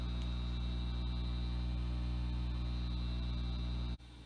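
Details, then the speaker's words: 1968 Farfisa Compact Deluxe combo organ, unused for many years, played through a JC-120 amp with all tabs off: a loud, steady low mains hum; noisy power supply suspected, to be fixed by recapping. "you know you can already hear that humming noise when they're all of our tabs are turned off so we're gonna have to recap the power supply should clean up a lot of things"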